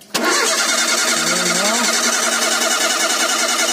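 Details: Ford Zetec Rocam engine (Fiesta, Ka, EcoSport) at start-up: fast, even ticking over the idle, resembling a hydraulic tensioner noise; dirt clogging the oil orifice feeding the rocker/tensioner found on teardown; valvetrain tapping on cold start.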